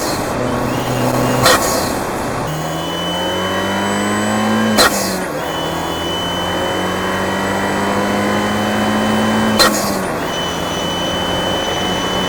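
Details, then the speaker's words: Tuned Fiat 124 Spider Abarth, engine mic'd, after the fix (Forge wastegate actuator spring yellow to purple, atmospheric Forge BOV crack pressure lowered from about 11 to 9.5, tune untouched): pulls smoothly through the revs with a clean hiss at each lift-off, no surging or stutter. "so as you can hear it's smooth both the issues i had the blow off low rpm surging the higher rpm with the wastegate actuator going off it was all fixed from swapping out those parts"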